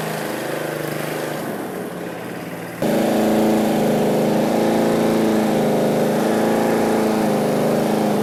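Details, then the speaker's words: John Deere 14SE mower with Kawasaki FC150V engine, running unloaded after clearing a tar-clogged carburetor pickup tube: speed jumps up and settles into a slightly uneven beat, governor hunting at no load; no hunting under blade load. "If you could hear, it kind of wanted to was like hunting. It's somewhat normal with Kawasaki."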